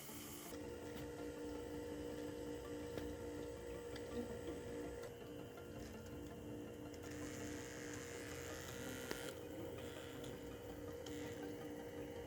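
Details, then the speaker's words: VW Passat B8 2.0 TDI EA288 (DFGA) after repair, bleeding low temperature coolant circuit via diagnostic basic settings: quiet steady electric hum from two pumps, no rattles or gurgle; normal coolant pump run. "You will hear. This pump is running. And also another one."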